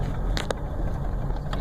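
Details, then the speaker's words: 2001 Chrysler Town & Country, after EGR tube delete and a replaced (used) single coil pack for all six cylinders: low, steady, smooth idle with no stumbles, which it would not do before (misfire fixed). "and since there and just idles beautifully and it would not do that before"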